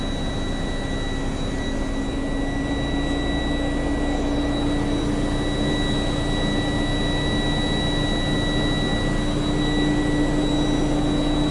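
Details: Tractor-trailer air brake inspection, engine revved up to refill air to governor cut-out before the three-way brake test: steady raised engine drone with a constant high whine; compressor charging the tanks normally.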